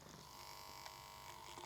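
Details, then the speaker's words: PlayStation 1 (7500 series) CD drive spindle motor, before oiling: a steady whir with a thin whine near 1 kHz and a scratchy rasp; it is running rough and noisy. "it is still pretty noisy but we'll throw some oil in the underside in a minute"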